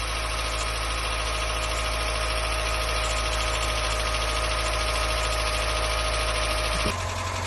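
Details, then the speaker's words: Mazda MK1 MX5 first start after about 10 years standing, cold with choke; steady idle with light, fairly even tick about two to three a second; cause unknown, owner wonders if it's from just starting. "But it's ticking. I don't know if that's because it hasn't been on for too long."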